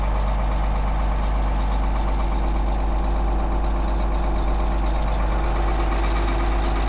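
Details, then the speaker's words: Caterpillar 18M3 motor grader diesel on a real cold start, with transmission and hydraulic temperatures below zero. It fired up easily and settles into a deep, even idle with no knocks or misses. Normal cold idle. "All right, cold start and I mean a real cold start. So, let's see if it'll fire up. And it actually fired up like it had been sitting in a garage."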